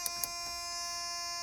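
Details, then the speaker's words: 1981 Honda Accord, timing belt done at 202,000 miles: key in ignition with advanced dashboard lit gives a few light clicks then a loud, steady, harsh high buzz; normal key-in-ignition warning buzzer. "I got to take the key out it's driving me crazy it's really loud"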